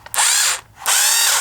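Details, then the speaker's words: FastTrax Rotostart starter for nitro RC cars after re-soldering repair: two clean half-second bursts of even electric whir, spinning up and stopping crisply, running quicker once the end is fitted; starter working normally. "Oh yes, it works. Put the end on. Oh yeah, it's gone quicker."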